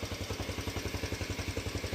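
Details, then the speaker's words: 2007 Honda CT110 single-cylinder, after new cam chain and tensioner install, choke off: steady smooth idle with no cam chain noise and a light even valve tick showing clearances loose enough. "No more cam chain noise, that's for sure. Sounds really smooth. And valves are definitely loose enough cuz you can hear them."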